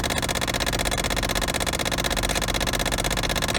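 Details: Car AC blend door actuator behind the passenger-side dash clicking steadily, about four a second, because its worn gear teeth spin without catching; fix is unplugging or replacing the actuator.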